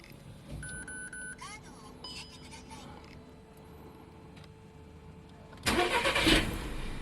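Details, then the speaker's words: Hot engine: starter cranks at about four beats a second and the engine barely catches before dying, starting only with a little gas; warm no-start traced to the faulty coolant temperature sensor. "so I gave it a little gas and it start so the problem is the coolant temperature sensor"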